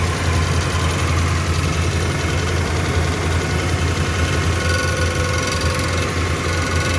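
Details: 2011 Ram, cold idle: rough, busy metallic rattle over the engine note from a bent access plate between transmission and engine rubbing the flexplate. Torque converter bolts were suspected first. A missing plate bolt let it bend, and bending it back fixed the noise.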